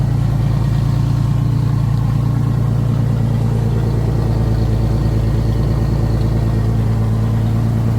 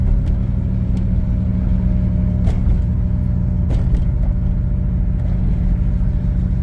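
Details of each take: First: 1989 Pontiac Grand Prix Turbo McLaren at idle after new spark plugs (old plugs oily, possible low compression; original wires kept): steady even idle, low rumble, no stumble or hunting; earlier idle hunting possibly from misfire. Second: 1989 Pontiac Grand Prix Turbo McLaren driven after spark plug change: heavy low rumble on light throttle, uneven and hesitant, won't shift, runs rough; suspected misfire under load, cause unknown.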